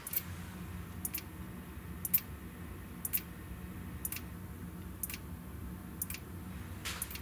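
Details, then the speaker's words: Neotec NT-2701 27-inch arcade monitor chassis at power-on, before repair: sharp ticking about once a second over faint hum, no B+ reading; power supply passes bulb test, cap and flyback ruled out. "one two three and it's ticking okay this is what it was doing before listen"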